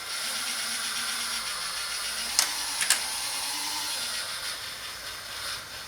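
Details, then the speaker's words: Hornby model railway turntable drive run forwards at nearly full power after oiling: small motor hums with wavering pitch, sharp clicks, then strains and bogs as the gears jam up entirely, blamed on old hardened grease. "right it's it's jammed up entirely it was on just about full power"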